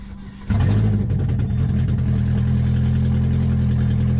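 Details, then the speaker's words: C5 Corvette first dry-run start after repairs, exhaust manifold not connected, temporary battery: cranks and catches in half a second, then a steady, loud open-exhaust idle running evenly without misses, no warning lights. "Oh yeah. Now, that's what I like to call a success. As you can see, there's no lights immediately on, but she fires up, guys."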